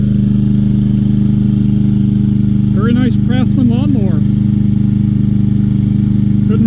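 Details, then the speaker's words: Free 2020 Craftsman M320 self-propelled mower, 163cc Briggs & Stratton, said not to start, now running with a clogged air filter and dull blade, nothing found wrong: steady, even drone, no misses, knocks or surging; normal running. "I don't want to cut much because my blade it needs sharpening that's one of the best running"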